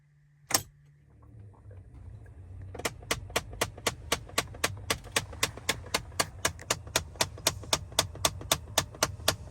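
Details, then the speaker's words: 2014 Dodge Avenger blend door actuator, located behind the glove compartment; rapid, even clicking about four a second over low fan hum, heard at start-up or when switching cold to hot. The actuator is faulty and needs replacing. "If you ever get that sound when you start up your car or when you change from cold to hot, that is your blend door actuator."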